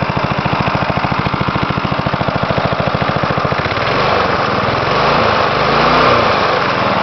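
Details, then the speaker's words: 1977 Briggs & Stratton 3 HP lawnmower, winter cold start on its own fuel system: slow, heavy thumping about three and a half beats a second, barely keeping running; idle set very low. "really low idle on this okay well let's see if it starts under its own gas lines and own gas system"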